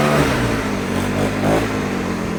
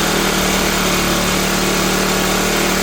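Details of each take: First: Troy-Bilt four-stroke backpack blower, started first pull with primer and choke, outdoors: revving steadily with an even exhaust note, no misses or surging; runs great. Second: Cheap used Troy-Bilt backpack blower, unused this year, revving high on choke while warming up: it sounds harsh and slightly uneven rather than smooth. The owner finds the carburetor gummed up and plans to replace it.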